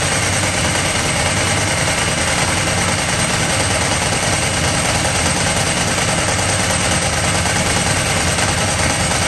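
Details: Ducati 998 Testastretta twin running after inspection service: loud, steady, busy note with no uneven knocks or speed surges; normal running.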